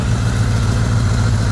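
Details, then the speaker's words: Kawasaki KZ550 four-cylinder after replacing the fuel rail O-rings, now leak-free: even, steady low burble with no knocks or misses, running pretty good, though some exhaust backfiring with flame is noted. "so I definitely made an improvement it sounds like it's running pretty good"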